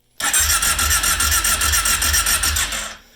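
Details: Kawasaki KFX ATV after carburetor reinstall, no choke: starter cranks with pulses about three to four a second for nearly three seconds but never fires; owner thinks it may not be fixed.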